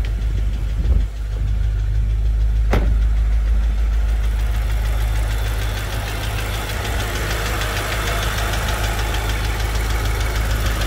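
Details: BMW M5 F10 S63TU V8 idling with a fast, light ticking over the steady low rumble; engine ticking noise.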